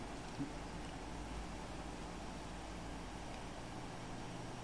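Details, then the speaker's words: Computer PSU after replacing its capacitors, bench-started by bridging the green wire to black on the connector: low constant drone with soft, even whir, no ticking or scraping; supply fan spins normally, repair appears to have worked. "So when you do that you your fan should start to turn right as you can see um this fan is turning."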